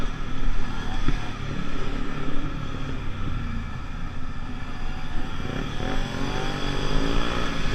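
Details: Pulse Force 50cc two-stroke road test after fuel-starvation fix, GoPro on bike, 14-stone rider, about 37 mph. Buzz revs up cleanly and keeps pulling without bogging or stumbling; normal two-stroke running under load.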